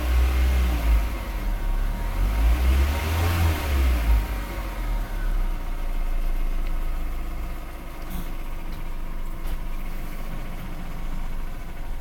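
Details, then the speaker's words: Mazda Protege petrol engine revving then settling: loose, fairly regular knock about four a second underneath, appeared after refueling, runs fine otherwise; owner suspects perhaps an alternator bearing, not confirmed. "Here's the knock noise my Mazda Protege is making. It seems to run totally fine."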